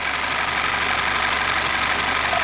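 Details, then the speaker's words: Audi A4 at idle, chain replaced 40,000 miles earlier yet really stretched, cam magnet connector test making no difference: busy, thin metallic rattle over a weak engine note, steady throughout, timing chain rattle; chain replacement needed. "So I don't know what they've used, whether they've used plastic for the timing chain, but it's really, really stretched."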